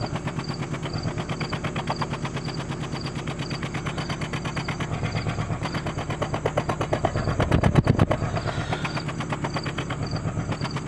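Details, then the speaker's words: 2004 Acura with 2.4 i-VTEC DOHC, heard at the tailpipe: rhythmic pop-pop-pop about three a second over a lumpy idle, raw fuel smell; one cylinder dead, multiple misfire codes P0301-P0304. "and you can hear that miss hear that pop-pop-pop-pop"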